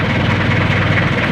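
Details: 430 diesel engine, 24 V, after fixing a no-charge fault: the alternator was fine, only the wiring was at fault. Steady, deep diesel chug, even idle with no knocks, misses or squeals; healthy idle.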